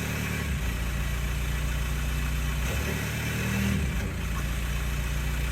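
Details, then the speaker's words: Mk4 Jetta TDI diesel with modified, incompletely welded exhaust: raspy puffing chuff rising with revs at idle and revving; exhaust leaking from joints all over. "all right guys so as you heard it sounds like leaky leaky leak it leaks all over the place"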